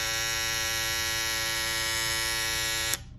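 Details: Babyliss FX3 trimmer that had started making a loud noise, after swapping to a graphite FX707B blade: smooth even high-pitched buzz holding steady until switched off, no rattle; much quieter, running normally.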